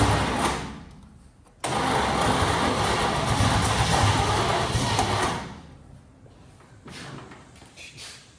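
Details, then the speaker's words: Junkyard-rescued 1969 Chevy C10 small-block V8 in the shop. The starter cranks slowly and labours for about four seconds without the engine catching. The owner mentions a sticking carburetor and suspects a poor distributor cap and rotor. "That starter just keeps going. Well, we start to bark The starter just ain't happy."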